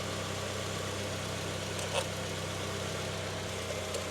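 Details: 2005 Honda CR-V with K-series engine idling after DIY fuel injector cleaning, no fuel leaks at the main feed: quiet, steady, even hum with no misses, stumbles or knocks, a normal healthy idle.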